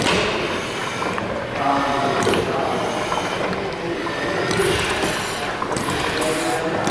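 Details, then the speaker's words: Over-a-century-old steam engine at Gaswerk Schlieren, slowed via main valve; regulator counterweight pulled by hand to simulate governor action, first-cylinder inlet valves reacting: steady rumble with hiss bursts dropping away and returning; normal governor action. "again watch and listen as volters pulls on the counterweight of the regulator simulating it coming into action"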